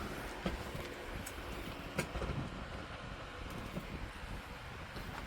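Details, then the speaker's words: Lasko model 2501 12-inch desk fan from 2009 after cleaning and replacement motor, camera close to the blades; even rushing air with a low rumble, no ticking, scraping or wobble: normal fan running. "Yeah, that's really whipping the air now."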